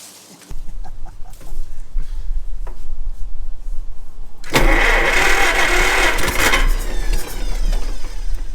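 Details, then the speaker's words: John Deere Model 40 crawler/dozer after rebuilding its Delco-Remy 1107200 starter: cranks, catches within a second, deep steady rumble swelling under throttle; sounds better than ever, healthy running. "I can't believe how good it sounds. That sounds good. I've never heard it sound like that."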